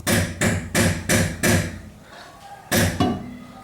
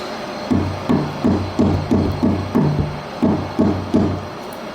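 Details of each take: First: 2010 VW Fox suspension noise: seven sharp, rattly metallic knocks as the stabilizer links (tie rods) are struck, revealing play in a loose link. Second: 2010 VW Fox front suspension after tightening loose link bolts: hand strikes give dull, solid thuds with no rattle; no suspension link knock, noise gone, confirmed on test drive.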